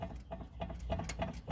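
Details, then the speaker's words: Car with a visibly torn suspension part: sharp, short chirps about three a second, repeating with movement; suspension squeak. "i probably won't hear that squeaking yeah that sounds so annoying i hear it whenever i make the left turn"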